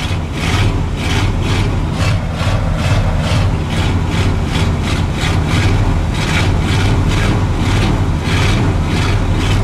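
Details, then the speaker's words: Tow truck/wrecker cold start in sub-zero cold with a foot of snow, pedal-pumped; alternator charging with a slight belt squeal, then a heavy engine holding a steady high idle at 2,000 rpm with an even pulse and no knocks while warming up. "He's high idle at 2,000, so, you know, I'm not hurting it. I'm just getting some heat into it."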